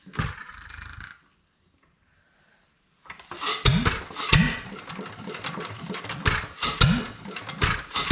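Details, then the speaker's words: Domestic Type F engine with mud sucker pump, gravity-fed to a Lunkenheimer mixer, first run after purchase, governor spring readjusted: uneven heavy firing thumps with sharp hissing puffs, blow-by past the exhaust valve, cause unknown. "got some blow by out of the exhaust valve here wonder what happened there"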